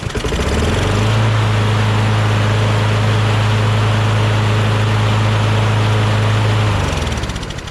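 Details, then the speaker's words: John Deere JS26 bagger mower with a Briggs Quantum engine, after its carburetor was cleaned. A few drops of water may remain in the bowl from the tank. It catches within a second and holds a steady, even drone without missing: starts and runs normally. "there might be some water in the bowl maybe from uh maybe a couple of drops very little from inside the gas tank maybe but looks like it just starts no problem now"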